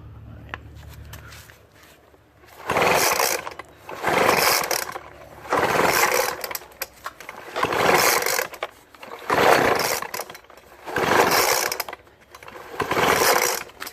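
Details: Craftsman 25cc gas leaf blower (200 mph, 430 CFM), full choke and primed after reassembly, surges in short bursts every 1.5 s then sags, bogging at high throttle; dirty carb, deteriorated fuel lines and worn dirty filter found; new carb and filter needed.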